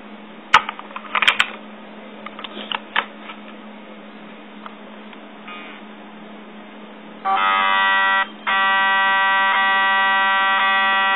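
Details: Yongnuo YN568EX flash: a few handling clicks, then a loud, steady electric buzz as the zoom motor is stuck; it mostly worked fine and was sent back.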